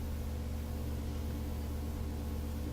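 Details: Majestic 5A455 turntable motor, rebuilt, run at about 121–122 volts (line about 119), drawing about 0.28 amps. Low, even hum at a steady pitch with slight vibration and no knocks, scrapes or wavering: smooth, healthy running.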